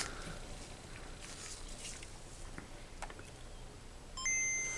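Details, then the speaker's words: Original Game Boy DMG that powered on but would not boot, after CPU-area capacitor replacement, mic beside headphones: quiet, then a clean two-note boot ping, confirming a good boot. "We got a ping. So that was a good boot."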